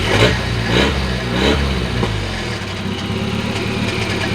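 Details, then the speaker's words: Volvo 940 after engine swap, first start, not fully finished: very loud raw petrol idle with uneven lumpy beat and no exhaust muffling; an extra noise possibly from a missing clip, cause unconfirmed. "so you can hear it's very very very very loud you can also hear the noise as well"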